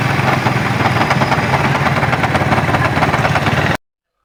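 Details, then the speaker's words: Honda CD 70 motorcycle idling with a loud, metallic clattering rattle from the clutch box, caused by a loose clutch hub bolt. "आपने जो engine की आवाज सुनी पहले वो इस बाइक में क्लच बॉक्स की आवाज है।"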